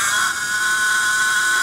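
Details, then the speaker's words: Cushman Binder engine with the flywheel rotated by hand until the timer touches its contact; a steady high-pitched electrical buzz shows the ignition buzz coil is energized and working normally. "I rotate it around you'll hear the buzz coil come on there it's off"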